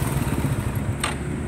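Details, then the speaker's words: Motorcycle whose rod and parts were all replaced and cylinder head fixed, yet still noisy: short burst of loud, heavy low-pitched engine pulsing with clatter; cause not yet found. "Aba ito mga sir talagang maingay nga hindi pwedeng dayain ito"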